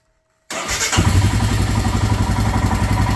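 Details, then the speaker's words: Royal Enfield Himalayan single, warm after a ride, fast-idle closed, after idle adjustment that cured its high-idle-when-hot problem. Fires up and drops straight into an even, steady thump about four beats a second; perfect hot idle. "and as you can see the bike goes right to where it should be okay that is a perfect idle on this uh on this motorcycle"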